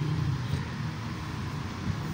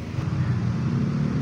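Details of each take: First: Spin dryer after repair of broken cable, slack taped: timer turns and steady low hum from the spinner with no scraping or rattling as the drum spins up; normal spin running. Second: Spin dryer plugged in, timer set: low steady hum but drum does not spin, no spin-up whine; motor hums, brake stuck on because the brake cable is broken.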